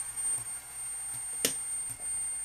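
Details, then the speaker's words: Peachtree Audio Grand Integrated X1 stereo amplifier at power-on: thin, steady, very high-frequency squeal on the right channel while the left sounds okay; a failed digital processing controller is suspected. "i have a very high frequency squeal on the right channel the left channel actually sounds okay"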